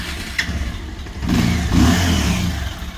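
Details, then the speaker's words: 11-year-old Bajaj Pulsar 200 (old model), standing unused about 11 years: short electric starter whirr, then the single catches at once and settles into an even idle; starts first press. "तो ये गाड़ी अभी भी एक सेल्फ में स्टार्ट होती है और"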